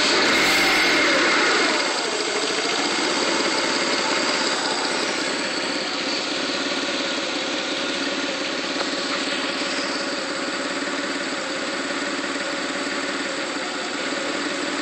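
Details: 1995 GT: petrol engine idles with loping, uneven pulse about 3.5 beats a second; stumbles briefly on throttle then revs with misfire-like feel, slow acceleration; rough idle, cause unknown.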